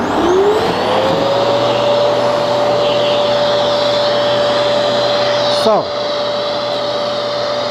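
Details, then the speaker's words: Genesis upright vacuum with cyclonic multi-stage separation, normal running: the motor spins up quickly to a steady mid-pitched whine with a constant rush of airflow, keeping dust moving in the bin. Smooth and healthy. "this means dust will never rest in one place it's always moving and it's creating emotion so this means the more dust you get inside the stronger the machine gets"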